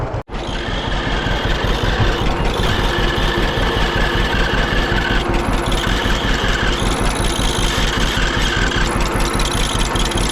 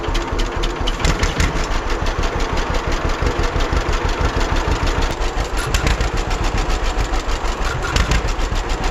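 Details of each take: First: 1946 John Deere BN tractor idling after an oil change: a thin, high squeak comes and goes over the idle thump. Squeaking grinding noise confirmed from the generator, not the fan. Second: 1946 John Deere BN two-cylinder tractor on a 47°F day, after carburetor rebuild and governor throttle control rod adjustment to fix earlier surging: steady, even popping beat at a constant speed without surging. Healthy idle.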